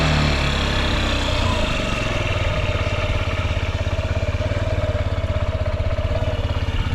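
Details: Honda Zoomer carburetor scooter (AF58-1103), running check: even, steady single-cylinder putter at settled idle, no knocks or rattles; quiet, normal idle with no abnormal engine noise.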